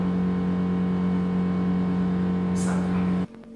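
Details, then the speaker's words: Bathroom exhaust fan: loud steady low drone for about three seconds, then cuts off; audible hum, cause unknown. "W tym miejscu jest łazienka i przecież to tu nawet słychać, jak to buczy. Majstry, coś ewidentnie poszło nie tak."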